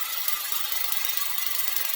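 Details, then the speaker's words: Rear bicycle freehub coasting downhill: fast dry buzzing ratchet of pawl clicking; some hubs are naturally noisy from new because of more pawls, not wear; lubricating pawls and teeth (not grease) makes it quieter. Normal freehub clicking. "some free hubs are just noisier than others from the first thing you put them on now we're not talking about the wear or tear that occurs over time we're talking from the get-go and it's the nature of the hub some just have more mechanisms or pawns thus creating more noise"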